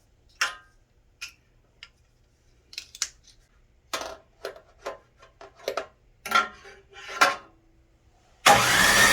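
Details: Snowblower that sat all summer: repeated uneven pull attempts with short bursts and gaps, never catching into a steady run; cranks but won't start.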